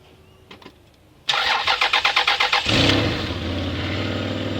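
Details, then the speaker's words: Toyota 1MZ-FE V6 on its first cold start after a four-month engine repair: cranking catches into idle with a sharp ticking puff from an exhaust manifold leak, later remedied. "exhaust leaking. Yeah. Yep. That's alright, that's just a bit of an exhaust leak."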